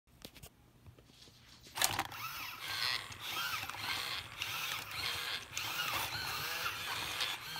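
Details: Ultimate Buzz Lightyear walking toy after repair: one foot motor had run slower, making it veer sideways, and the foot was taken apart and fixed. Small motors whir with quick gear clicking about every half second; both feet now sound steady.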